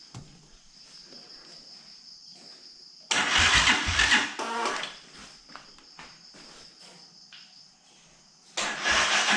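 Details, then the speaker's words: Keeway Superlight 200, first fire-up after a full rebuild, with no air filter fitted and the spark plug not yet tightened. Two labouring starter bursts and no catch; the owner suspects a flat battery and later kick-starts it: slow cranking, no start. "all right i think my battery's flat well i managed to kick it over get it started"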